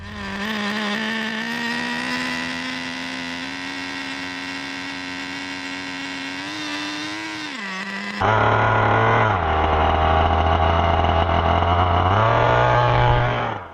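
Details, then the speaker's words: Traxxas Nitro Rustler with TRX 3.3 nitro engine: fast steady buzzing idle that won't drop, then blips higher; pinch test 2 inches from fuel inlet ran 4–5 s, low speed tuned, idle too high, carb issue suspected. "It ran for maybe about 4 to 5 seconds. I cannot get the idle to go any lower than that."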